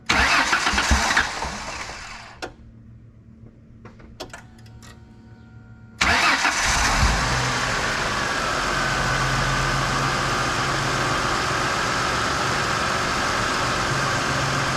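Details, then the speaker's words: 1999 Ford Mustang convertible, fuel pressure about 1.1 running, idle about 750 rpm: starter cranks a good while before catching and settling to a steady idle; hard start from a persisting low fuel pressure issue. "let's start it up and see how that idles yeah yeah you feel pressure we still got the fuel pressure issue"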